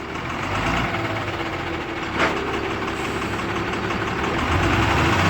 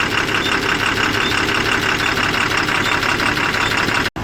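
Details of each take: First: Tata 3118 BS4 12-wheel truck, Cummins engine with SCR, run on biodiesel, idling with black smoke: steady sharp knock about three per second over the diesel clatter; knock at idle, injectors and fuel pump suspected. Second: Tata 3118 BS4 Cummins diesel with SCR after injector repair, previously knocking and smoking: steady idle, even beat about three per second, no sharp tapping; knock gone, engine healthy.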